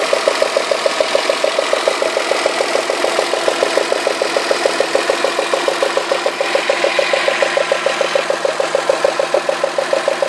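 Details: Citroën Xantia V6 at idle with a fast, even ticking clatter about three a second; cylinder 1 plug well flooded with oil spilled at the last oil change, so the spark likely arcs, not a bad lifter; quiet after cleaning.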